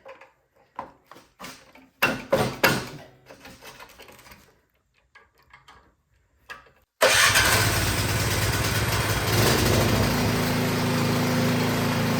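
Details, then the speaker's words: Craftsman snowblower that would not start, after its dirty carburetor was replaced: several short pull-cord tugs on choke, then it catches at once and settles into a steady, even run. Runs great; normal running. "And all right, that is awesome. It's running great."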